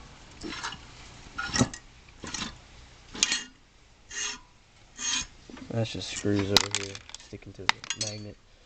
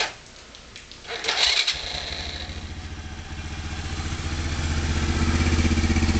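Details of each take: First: Kazuma Falcon 110 semi-automatic ATV engine, flywheel turned slowly by hand: rough dry scraping grind each turn; owner suspects balancer or bearings, not confirmed. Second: Kazuma Falcon 110 semi-automatic ATV, hotwired ignition, new battery and solenoid: the starter turns it over, it catches after a second and settles into an even, steady idle that climbs slightly as it warms. Normal start and idle.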